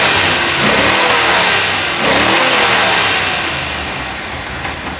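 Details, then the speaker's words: 2004 GMC truck engine after exhaust manifold leak repair: loud, open-sounding revs that settle back smoothly, with light injector ticking judged normal; runs evenly, still noisy pending a muffler; normal running. "it's got quite a bit of injector noise but that's just how they are it sounds good we got to put some muffler on it cuz it's kind of noisy"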